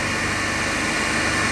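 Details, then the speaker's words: Lab 3-phase induction motor coupled to DC compound machine, balanced 230 V per phase, about 3.5 A per line, about 1484 rpm, no load: even, steady hum with a clean high tone and no beating or growl. Normal no-load running. "So we will take the reading on no load condition with operating as a 3-phase induction motor."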